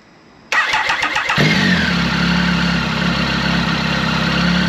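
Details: Triumph Tiger 1050 Sport after replacing cracked downpipe with Lextek RP1 full exhaust, baffle in: brief starter churn, catches, even steady idle with faint light rattle, likely baffle vibration; normal start and idle.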